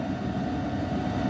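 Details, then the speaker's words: HCalory 8KW diesel air heater warming up past 183 degrees, fan running: steady even blower rush with smooth low hum, fuel pump tick inaudible, no knocks or rattles; normal warm-up. "right now you can hear the fan, but you cannot hear the little ticky of the fuel pump, which that's really nice."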